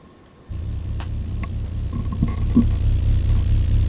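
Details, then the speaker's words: Car audio subwoofer box (box number seven) on a monoblock amp playing a test tone, driver sealed with weatherstripping: a deep steady tone with a fluttering puff about four per second as air blows out the seam; enclosure air leak. "it's coming out i can feel it it's like blowing on my hand so much air leaking like this is box number seven"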